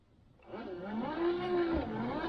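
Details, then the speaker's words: 1968 Chevelle Nomad, newly installed windshield wiper motor: steady electric whir, even pitch, no grinding or catching, stops at park position; motor works normally, though switch suggests 2-speed and it seems only on/off. "works. That's the way it stops. That's where the wipers go on right there."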